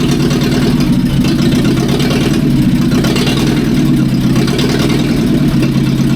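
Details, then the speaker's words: 1945/46 Allis Chalmers Model B tractor with magneto ignition, parked in a barn about 20 years: even, steady low chug at constant idle with no misses or knocks. Running sweet. "Oh, that sounds pretty good. It's running sweet now."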